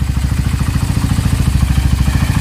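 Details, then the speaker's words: Raider 150 single-cylinder motorcycle engine after refresh; even regular thump about fourteen beats a second with no clatter, owner says the noise is gone, carb still to be tuned: normal idle. "Pag walang sirang ilalim mo, so yan na mga paps, yung tunog ng makina ni Paps."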